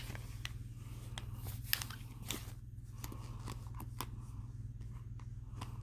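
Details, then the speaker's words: Eleaf Aster 2 vape mod with its battery swapped into an older unit, firing normally: low steady hum with crackles and pops as the coil heats; the misfiring fault stays with the new Aster 2. "I don't have that same problem."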